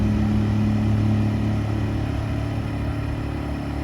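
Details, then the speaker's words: Clearance returned Champion inverter generator with missing parts repaired, running in non-eco mode: steady even hum at constant speed, no knocks or surging, super quiet; normal running. "Super quiet. Very happy with this thing."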